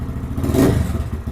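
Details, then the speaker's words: Lifan KPM 200 motorcycle after throttle position sensor adjusted to 0.4% closed, 78.4% wide open: small single idles evenly, quick blip rises and settles cleanly without stumbling or stalling; normal idle and throttle response. "it's idling good it's got good throttle response and I can hit it hard and it won't die"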